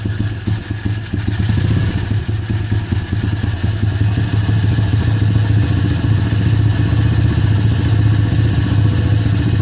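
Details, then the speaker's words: Kayo YX140E Klassic pit bike single-cylinder engine, throttle opened a bit more then held steady: revs surge and sag with occasional stumbles; hunting idle and misfire, cause suspected, not confirmed. "Добавляю газа. Ручка газа в одном положении, обороты пляшут."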